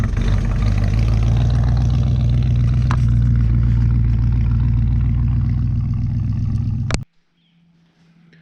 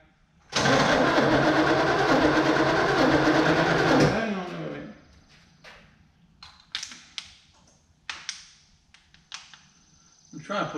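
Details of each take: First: 1964 Chevrolet Chevelle Malibu SS convertible, 283 V8 two-barrel, factory four-speed, just revived, driven to the garage then ignition killed in gear: deep, strong, even V8 rumble about seven seconds, then cuts off; normal healthy running. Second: 1964 Chevelle Malibu SS convertible, 283 two-barrel V8 with a factory four-speed, always hard to start: starter churns evenly about three seconds without catching, then quits; fuel starvation, with the carb fuel bowl dry and a stuck float possible. Fuel pump condition unknown.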